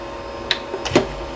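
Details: Original Xbox with its DVD-ROM drive stuck closed: pressing eject gives a few sharp mechanical clicks over a low steady hum instead of ejecting, the eject click of death.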